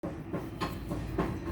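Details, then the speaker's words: Ceiling fan running jammed: harsh rhythmic clack-scrape about three times a second as it labours round; worn, tight bearings near seizing. "जैसे आप देख रहे हो ये आवाज़ कर रहा है और जाम भी है। ठीक है, इस तरीके से देख सकते हो हम चला रहे हैं, ये जाम है और चरक चरक की आवाज़ है वो ज़्यादा कर रहा है।"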